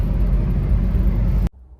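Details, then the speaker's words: Maruti Brezza diesel with automatic gearshift, which stalled while driving and would not restart (code P01908), after repair and a 10 to 30 km test drive: a smooth, even low diesel rumble that cuts off cleanly. The complaint is fixed. "അപ്പൊ നമ്മൾ ഒരു 10 30 kilometre നമ്മൾ ഓട്ടിച്ചിട്ടുണ്ട് കേട്ടോ അപ്പൊ ഈ complaint ready"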